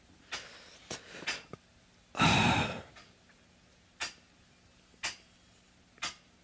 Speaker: nuts it's only one pipe that is like that cuz it's pitched in the wrong direction so you have uh an accumulation of uh water when when the steam cools down and then when the steam builds up again in the system it's trying to push that water but it really sounds metallic